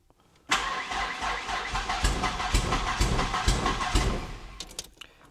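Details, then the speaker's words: 1991 Ford Ranger 2.3 non-runner, started on fuel squirted in: fires and runs ragged for a few seconds, then dies. Owner suspects it is losing fuel; injectors later shown pulsing, and fuel pressure is not yet checked. "Yeah, it's losing fuel."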